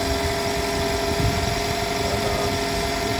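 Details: 2013–2018 Toyota RAV4 started after alternator replacement, now charging: smooth, even idle with steady low hum, no knocks, ticks or squeals; healthy.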